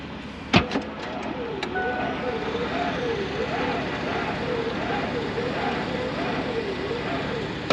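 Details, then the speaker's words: Old Ford pickup at about −40° cold start on a fairly new battery, no booster: sluggish labored cranking, about one and a half heavy compression pulses a second, never catching; slow cranking in extreme cold. "Oh, it's gonna need that booster. It turned over awfully slow, and that's a pretty new battery in there."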